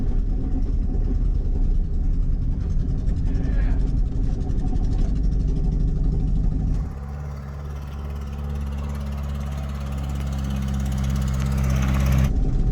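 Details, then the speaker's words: Ford Festiva revived after sitting for years: uneven, lumpy low throb settling into a steady drone with a lazy beat, running on only one cylinder. "to the end of the street piece of now only running out one cylinder"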